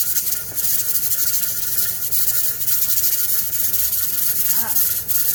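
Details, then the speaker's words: Pressure canner of potatoes on a gas stove settling at about 12 lb for a 40-minute process; continuous steam hiss with a soft, uneven rattle from the weight; holding pressure normally. "yes we need to listen to that noise for the next 40 minutes it looks like mine's going to sit at about 12"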